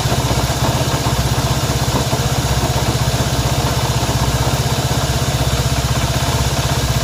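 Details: Honda CB190R motorcycle abnormal engine noise at idle: a fast, even tick about four times a second over the engine, source not pinned down.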